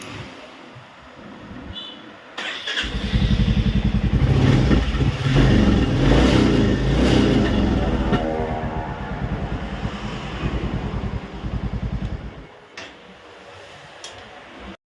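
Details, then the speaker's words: Royal Enfield Classic 350 Reborn catches first try and settles into a steady, even single-cylinder thump with no misses, after fixing a no-start caused by a blocked fuel injector. "ചെയ്യുകയാണ് start ആയിട്ടാണ് നമ്മൾ touch ചെയ്തപ്പോൾ തന്നെ start ആയി വേറെ മിസ്സിങ്ങോ കാര്യങ്ങളോ"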